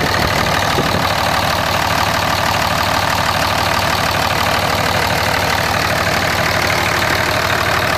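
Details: 2004.5 Ram 2500 Cummins diesel: loud clatter with a fairly even knock near three per second; knock heard under load in gear and when the truck rocks, goes away at idle in park; cause unclear.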